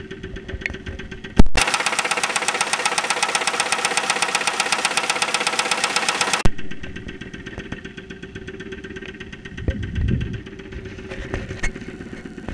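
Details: 2001 Saturn SL2 at idle, recorded with a stethoscope microphone after being run very low on oil and sitting two months: loud sharp knock at about four per second, a deep internal knock; oil pressure reads 35-40 psi.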